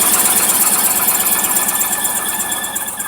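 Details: 1998–99 GMC Yukon at cold idle after a hard cold start: a light, quick knock about three per second, which the mechanic calls piston slap from slightly oval cylinder sleeves; it fades when warm or above 50°F.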